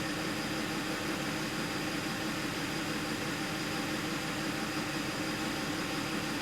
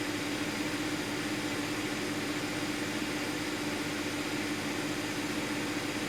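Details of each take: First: 2010 Audi Q5, about 135k miles, code P0302: petrol engine idling with a dull hum and an uneven skip, cylinder 2 misfire. Owner doubts it is the coil and plans to swap spark plugs next. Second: 2010 Audi Q5, about 135,000 miles, being checked for a P0302 misfire: even, steady idle with a low hum, no stumble; fuel trims good, no misfire data; normal idle.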